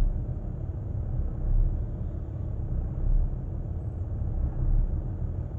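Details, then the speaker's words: New 2020 Ram 2500 with 249 miles, cold start on the fourth attempt after stalling, in reverse with foot on brake: deep steady rumble with slow swells as the idle sags; engine struggling to hold idle, cause unknown. "notice the idle dropping down i'm in reverse still foot on the brake"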